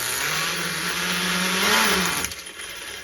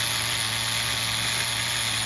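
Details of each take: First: HPI MT2 nitro RC truck being tuned: high, slightly wavering idle that bogs and fades as the engine loads up rich and floods after sitting; owner leaves the mixture rich. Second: HPI MT2 nitro RC engine after leaning the bottom-end and richening the top-end needle; a steady high-pitched buzz holding an even single-stage idle, where a two-stage idle was heard before, with no sag, surging or misses.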